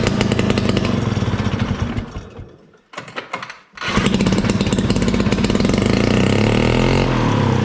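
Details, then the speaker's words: 1968 Ski-Doo Super Alpine with Rotax 370 opposed two-stroke, muffler removed, running only on choke: unmuffled buzz that sags almost to dying, picks back up, but never climbs in revs. Fuel starvation from expensive fuel lines that wouldn't let it pull enough fuel. "So it's basically doing the same thing that it was doing last time. I can't get it to rev up. It has to run on the choke, doesn't want to run without it."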